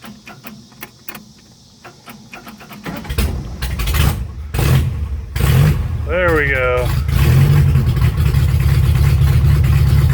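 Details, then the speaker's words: Chevy LUV 4x4 carbureted engine, dead cold with no choke, after idle mix screw adjustment: cranks, catches, then lumpy uneven idle that still holds; rough until warmed up. "so it's going to idle pretty rough till we get some temp under without a choke but impressively enough it actually can hold an idle dead cold"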